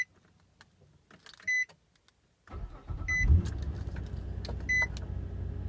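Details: Same car started right after charging its battery and disconnecting the charger: chimes, then a brisk crank catching quickly into an even idle. Normal strong start.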